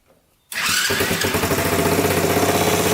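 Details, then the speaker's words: Kawasaki KZ 650cc shifter kart engine after carburetor adjustment and valve adjustment: quiet, then instant catch and a steady even putter about four beats a second; starts right up and idles cleanly. "all right so we finally got this thing going it starts right up now"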